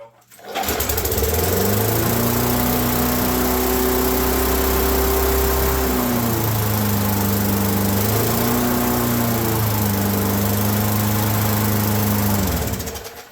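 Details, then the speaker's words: Roadside-found Craftsman mower with a Briggs & Stratton engine, first start after the flywheel was refitted: steady, high-pitched racing drone with a dip, a little smoky; governor spring force overcoming the governor; overspeed from a misadjusted governor. "okay not quite quite what I'd hoped for a little high we'll just have to adjust it a little smoky aren't we"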